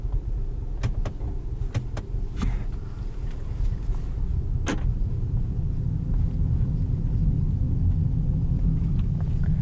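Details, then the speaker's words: Volvo V60 T8 Polestar plug-in hybrid run out of gasoline with zero range and reduced-performance engine warnings: the engine gives a rough, uneven low rumble with irregular stumbles, sputtering hard from fuel starvation. "now we've got zero miles left on range oh and the engine is sputtering hard i'm gonna turn and try to be really quiet hopefully you guys can hear that"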